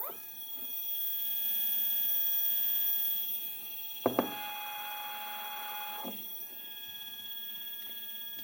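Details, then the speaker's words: Second Z-axis stepper running alone on a Duet board, 2 A, acceleration 120, feed rate raised to 2000: high whining tones jumping unevenly with sudden clicks. Runs rough with irregular noise, cause unknown. "it's really tough and again you can hear some irregular noises"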